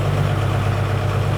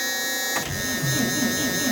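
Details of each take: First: 2002 Thomas Freightliner FS65 school bus, 5.9L Cummins diesel, 155,000 miles, cold, high-idle switch engaged at about 900 RPM: steady, deep, even rumble without knock; engine healthy, though it smokes. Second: 2002 Thomas Freightliner FS65 school bus, 5.9L Cummins diesel, Allison 2000 transmission, 155,000 miles, cold start after waiting on the intake grid heaters: fires uneven and lumpy for several seconds, then revs rise and it smooths; runs really rough and starts hard.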